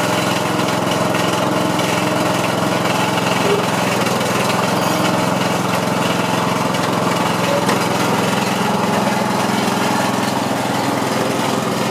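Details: MTD Yard Machine riding mower after fixing a blade engagement that would not disengage (lost pin and washer): small engine holds a steady, even drone with no misses or hunting; normal running.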